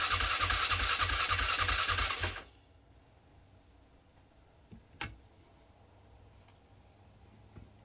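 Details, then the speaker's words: 2007 Polaris Scrambler sat 4+ years, carb just cleaned, in neutral, starting fluid sprayed on air filter: ragged rapid popping roar for about two seconds that dies abruptly; compression and spark present, owner concludes fuel starvation. "And you can hear it actually did start, and then nothing again. So I said, okay, it has compression, it has spark, it has to be fuel."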